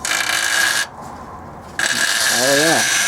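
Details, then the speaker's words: Nissan 280ZX old front control arm, removed for replacement with Techno Toy Tuning GTX arms, flexed by hand: dry rubbery creak with brief rising-and-falling groan; worn old control arm bushing. "to that old bushing oh yeah that is old ass bushing for sure"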